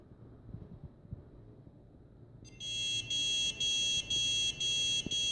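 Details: Damaged Huanan X79 Deluxe motherboard with a 650 W PSU, 4×8 GB PC3-10600R RAM and an Intel Xeon E5-2603 won't start. It gives a steady run of short high beeps, about two per second, with nothing else running.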